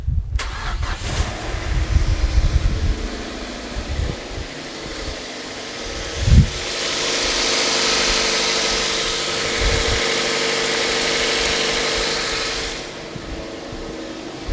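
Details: Mazda MX5 after fitting a cheap stainless exhaust manifold, a new thermostat for overcooling, and an oil change. It cranks, catches and settles into a steady, even idle with no puffing or leaks. A normal start.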